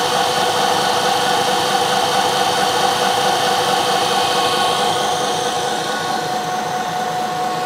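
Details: 1 HP Bridgeport R8 milling head on a converted planer, 5-inch 45-degree face mill, finish pass on bar: steady whir, constant tone, no chatter or squeal; very smooth cut with slight swirls.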